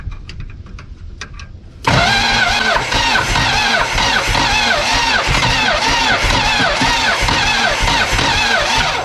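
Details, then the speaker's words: 1972 Plymouth Fury Sport III, sat about 10 years: after a short crank the engine catches and runs rough and uneven only on fuel poured in; suspected poor fuel delivery. "Let's put a little more fuel in there. Man, she kicked right off though."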